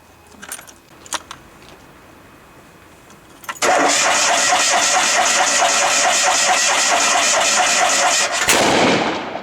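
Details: Grandmother's Fiat 126, cold December morning after sitting stored for a long time: a few sharp backfire pops while cranking, then it fires and chugs at a fast uneven idle; cold-start backfiring, cause unknown.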